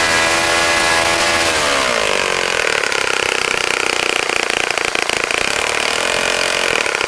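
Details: Saito FA-65 model engine, first run after rebuild, APC 12x6 prop, Morgan's Omega 10% fuel, Fox Miracle plug: winds down from a high clean buzz to a steady lower note, firing evenly; normal running.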